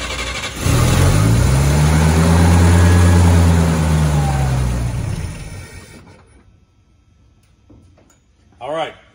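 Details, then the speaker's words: Old truck on points ignition, first start since mid-March after the carburetor bowl fuel evaporated: it cranks a while, then catches cleanly and runs evenly with no misfire; a normal start. "that's not bad that's the first time the truck has been started since mid-march uh obviously cranked for a while but if you notice it wasn't a misfire or hard to start"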